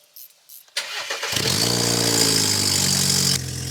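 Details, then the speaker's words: Car with a bad fuel pump, replaced, cranked after priming it: a couple of clicks, then the starter spins the engine steadily for about two seconds without firing; cranks but won't start, no fuel being sprayed. "No fuel's being sprayed."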